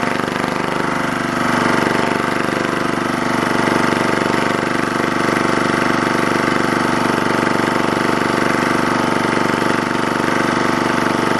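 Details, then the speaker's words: Lister Petter AC1 4 kVA diesel generator, 1980s British, 3000 rpm, after earlier no-start from suspected air in fuel resolved by extra fuel; even regular chug, steady speed, no misses; normal running. "i will play you out to the soundtrack of classic british engineering"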